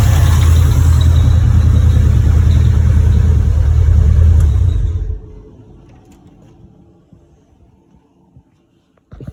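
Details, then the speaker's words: Mitsubishi Evolution 4, possibly run on ethanol, after sump removal, oil-leak fix and timing belt change: deep, steady idle thrum with an even pulse before shutdown; starts almost first time and idles healthily. "I'm going to check the oil but otherwise she's idling amazingly uh you heard she starts like almost first time"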